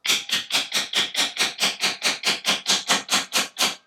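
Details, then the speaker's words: Light taps with a small socket seating a snug keyed pulley onto an aluminum cutter-head shaft, about two per second; the tone rings higher and brighter once the pulley bottoms out, showing it is fully seated. "You could hear the tone change, so you know it's seated properly."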